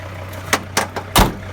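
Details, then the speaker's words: Mercedes Sprinter T1N with EGR problems, started after reconnecting the battery: even, steady low diesel idle at one pitch with a few handling knocks; engine runs smoothly. "you could see the way this engine is working it is working really beautifully"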